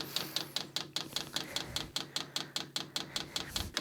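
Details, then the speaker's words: Vevor diesel workshop heater (5 kW or 8 kW model), garage at about 0–1 °C, empty fuel line primed by holding plus and minus buttons: crisp, even ticking about 2.5 per second from the diesel dosing pump priming normally. "il va falloir appuyer à la fois sur plus et moins pour amorcer la pompe à gasoil donc j'appuie là et normalement vous entendez la pompe"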